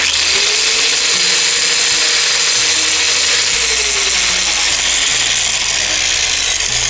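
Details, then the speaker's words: Angle grinder running noisily with heavy vibration: loud, rough, gritty whir with a shaky note instead of a clean spin; large shaft play found. "как вы видите она работает очень шумно и во время работы и и всю трясет очень большая вибрация причина вот в чем здесь имеется очень большой люфт"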